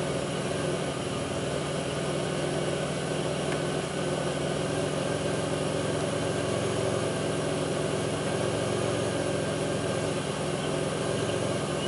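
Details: 2002 Pontiac Grand Prix 3800 V6 at idle, no check-engine light, alternator overheating. Steady idle with a faint intermittent uneven thump that drags the idle down: rough idle, cause not pinned down.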